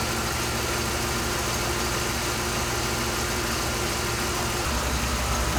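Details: 2007 Dodge Ram 5.7 HEMI after water pump and thermostat replacement, first start while refilling coolant: smooth even idle, steady low beat, no knocks, whine or rattle; no leaks seen; healthy.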